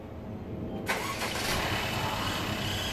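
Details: 2017 Mercedes-Benz E300 turbo engine, start before oil change and engine flush (flush added to old oil): quick crank, catches near one second, settles into steady, even idle with no knocks or rattles; normal engine start.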